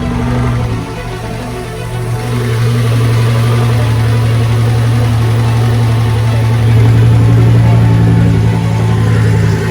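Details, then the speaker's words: Lamborghini first start after an engine and transmission rebuild: a low drone whose idle swells and sags unevenly. Idle hunting because a throttle body code was set; throttle body needs recalibrating, and it later settled to a normal sound. "Alright, so I'm trying to start the car right now, and sounded a little ugly because it's throwing a code for throttle body. So I gotta recalibrate the throttle body, so it's kind of chasing idle right now."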